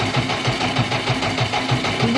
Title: jcb444 engine misfire problem #dieselmechanic #enginerepair#shots